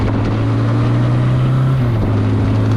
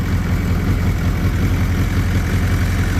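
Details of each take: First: Suzuki GS850G motorcycle revived after long storage, front brake pads removed to stop dragging: steady low engine drone whose idle creeps up as the handlebars are turned; cause unclear. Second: Suzuki GS850G four-cylinder motorcycle after new carb boots and diaphragms, warming at idle: steady, even low burble with no misses; all four cylinders firing, mixture screws unverified.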